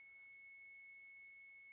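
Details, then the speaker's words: 50cc moped engine on the bench, setting points and ignition timing: steady high thin tone from the points tester changes just after zero, two mm before top dead centre, timing spot on. "right took a few tries but now as you can see hopefully you can hear this so that's where it changes and then we go so it's just after the zero one for rotation"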